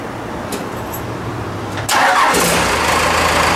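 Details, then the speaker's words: Ford F-150 with swapped Cummins 6BT diesel, restart soon after first start, engine still cold, front tank fuel work with no drips: brief crank, fires at once into steady, even idle with no stumble; normal start. "let's check a restart i haven't really given it any time but let's just let's just try it out it's a happy motor"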